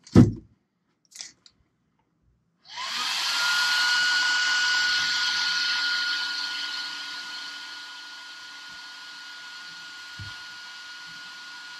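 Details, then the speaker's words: Traxxas Sledge replacement Protek ESC fan, fitted in stock location after stock fan broke: strong, steady airy whir with thin whine, spins up cleanly and sounds stronger than the stock Traxxas fan. "so definitely sounds like this fan is a lot stronger than the Traxxas unit"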